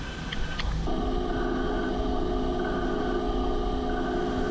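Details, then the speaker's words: Brand-new YCM CNC lathe cutting a fine thread on a small-diameter part; after a short start-up clatter, steady even hum with clean tones and blue chips; smooth, healthy thread cut. "Again, sounds really clean. Nice little blue thread chip coming up."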